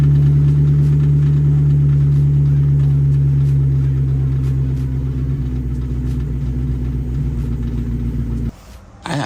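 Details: Mustang SN95 with supercharged Coyote swap, after transmission reinstall, cold start: steady low drone with faint fast even metallic ticking, pointing to a rattling catted exhaust pipe; grinding and rattling chased for weeks.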